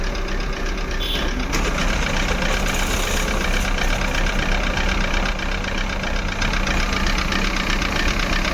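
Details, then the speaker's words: Maruti Suzuki Eeco petrol with company-fitted CNG, check engine light on, poor pickup: uneven thumping idle with heavy shake and stumbles, whole engine vibrating; misfire traced to faulty MAP sensor (DTC P0108). "पूरा engine vibrate हो रहा है। ऐसा नहीं होना चाहिए क्योंकि गाड़ी में प्रॉब्लम है, इसकी वजह से आ रहा है।"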